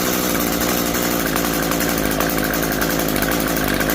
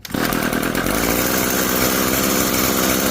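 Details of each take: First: Curb-found Echo SRM-2320T string trimmer, thrown out with unknown issues, first start attempt after pulling until it pops: rough, high buzzing two-stroke note that stutters and surges unevenly, running rich on choke; throttle rotates fine. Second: Echo SRM-2320T string trimmer, a curb find, fires after pulling to the pop and runs on choke with a smooth, steady high-pitched two-stroke buzz and no sputter; running normally on choke.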